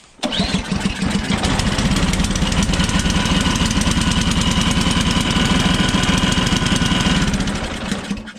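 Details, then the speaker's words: Ariens 24" Deluxe snowblower, single-cylinder, after carburetor and jet cleaning for hard starting blamed on bad gas, started in the garage: catches quickly and settles into a steady, even putter with no stumbling; normal running. "all right fired up we're going outside guys because i'm not going to have all that exhaust in here"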